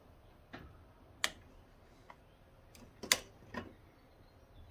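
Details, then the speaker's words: Light switch opened slowly on about 25 V DC, 5 A from a stick welder in a DC breaker test: several small sharp irregular pops in a quiet room, DC arcing across the switch contacts; no major failure. "Ooh, yeah. It didn't like that. I heard a pop. Try this with a glove on. I'll try doing it slowly. Yeah. You can hear a little popping there."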